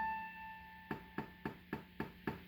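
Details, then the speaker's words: Casio PX-850 digital piano, recently started glitch: each press of the A5 key gives a sharp pop over the note, louder with harder hits; Ab5 same octave also affected. "the issue is that when you use the hit the a five key it makes a popping sound"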